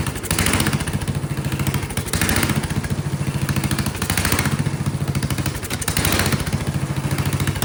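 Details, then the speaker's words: Vintage Kohler generator flathead engine, choke held shut, just started after filling the carburetor bowl. Single-cylinder thump swells and sags about every two seconds, a hunting surge. Carburetor problems or poor fuel delivery suspected. "Okay, so it probably still has carburetor problems because it's surging. But it ran. Boy, ran quite violently."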